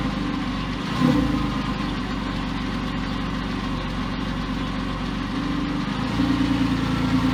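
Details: Porsche 911 996 C4S M96 flat-six idling months after earlier ticking, no repairs made; smooth steady idle with a slight rev blip and no ticking. Owner attributes earlier tick to a sticky lifter. Normal idle.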